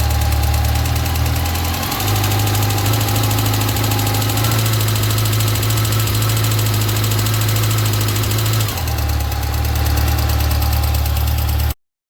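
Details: 2006 Yamaha FJR, 53,000 km, at idle: deep steady idle with an uneven ticking clatter on top that changes character; abnormal engine noise, cause not identified.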